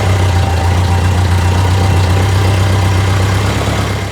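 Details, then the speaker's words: Motorcycle with a low battery started using a Duracell DRLJS20 jump starter; after slow cranking it fires and holds a strong, steady low idle thump at about four beats a second, a healthy idle. "Alright, try it out. Oh yeah, that sounds better."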